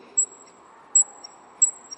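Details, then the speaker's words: Ford XR3 Turbo engine stripped after sitting unused, piston rocked by hand; thin high squeak about every 0.7 s, worse before, the pin having seized in the connecting rod and turned in the piston, causing heavy starting: seized piston pin. "eles faziam demais, demais. Por quê? Porque o pino chegou a trancar na biela."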